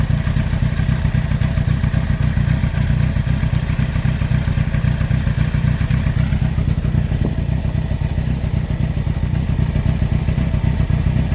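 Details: 2003 Yamaha R1 (5PW) four-cylinder, 41k miles, idling with deep regular knock about four a second; cylinder 4 big end bearing failure, top end, valves and cam chain fine; possibly from harsh downshifts.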